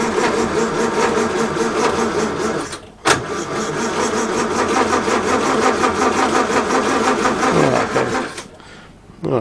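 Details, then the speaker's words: 1932 Morris Minor four-cylinder sidevalve, unused for decades, 6V battery, choke on and off: steady cranking about three turns a second that never catches, a pause, then still dead; points later found giving a weak spark and cleaned. "all right put the choke back on then I don't know seems odd that it did run but now it won't"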